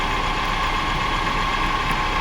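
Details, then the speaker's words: 2005 BMW X5 idling, before repair: steady gravelly growl with a faint ring from the A/C compressor pulley bearings; A/C itself works and blows cold. "so we are going to start the engine now so you can hear it hear the poor song coming from the AC compressor bearings"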